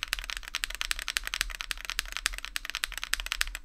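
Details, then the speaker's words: Ajazz AC081 CNC aluminum gasket-mount keyboard with Akko Vintage White switches, typing on the bottom left, mic repositioned there: fast uneven clacks with a bright, slightly hollow ring; possible case ping or reverb on that side, not confirmed. "I don't know if it's technically case pinging but you can tell it just sounds a little bit Hollow so I guess that counts a spring thing"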